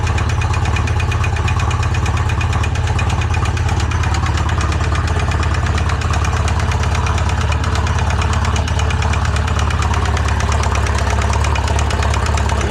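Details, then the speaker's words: Seized engine just freed up, owner credits heat expansion, Lucas oil used: uneven, lumpy idle about three beats a second with harsh clattery edge; runs but sounds rough, owner expects possible rod failure, cause unconfirmed. "Oh, it's idling. Doesn't sound good."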